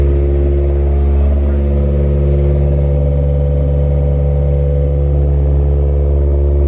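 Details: DB1 Acura Integra with a new 1320 Toda V2 2.5-inch header and test pipe, idling after its first start: a deep, loud, steady exhaust drone with an even beat and no stumbles or rattles, running clean.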